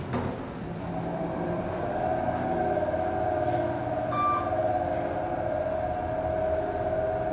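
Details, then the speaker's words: 1980s Dover traction passenger elevator, 2500 lb, 200 fpm, recorded inside the car. A steady loud drone with a sustained mid-pitched whine during travel; the motor sounds rough, cause unclear. Loud traction motor noise. "Basement's burned out. That motor sounds horrible."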